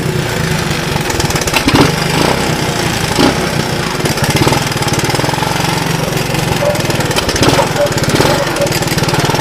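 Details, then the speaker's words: Honda ATC185 three-wheeler, about 35 years old, auto clutch, new right-angle air filter, test ride: single-cylinder putt rising and dropping through the gears, pulls cleanly, shifts nice, no knock. Normal acceleration, sounds healthy. "so so she runs up through the gears pretty good um which is nice shifts really nice"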